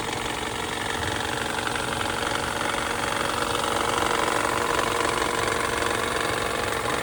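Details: New long block engine at steady idle with a fairly regular light knock about three per second over the engine note; internal engine knock.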